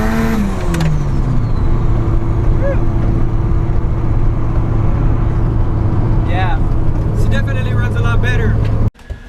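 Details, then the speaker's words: Nissan SR20DET with 272 Brian Crower cams, now running on all four cylinders after a dead-cylinder misfire fix: revs up cleanly and settles to steady, even idle without skipped beats; normal running. "Ah yeah, so there she is, purring like a kitten. Those 272 Brian Crowers still have the engine moving around a little bit, but that's as good as it's gonna get."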